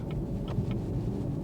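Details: Chevrolet Camaro SS 6.2 V8 OHV after engine repair for coolant-loss overheating, no leaks or fault codes, driving at around 3,000 rpm: deep even V8 rumble pulling cleanly, no knock or tick; healthy.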